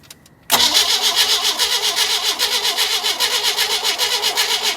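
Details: 1988 Sea Ray MerCruiser boat engine: steady starter churning about five or six beats a second for five seconds, never fires; cranks but won't start.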